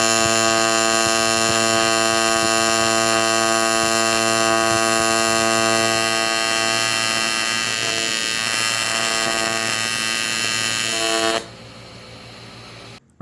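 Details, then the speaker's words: AC TIG welding aluminum with 4043 filler, pedal eased in: steady even buzz with bright fizz on top, smooth for about eleven seconds then cut off; stable, well-set AC arc. "I will ease into it I will let the frequency do the work creating a puddle and really burning into our base material"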